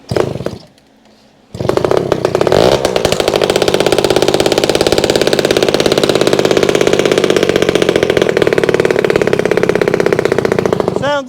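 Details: Vintage two-stroke, first start, with fuel leaking out. It runs at a fast, crackly, uneven idle, much louder and rawer than it should; exhaust leak.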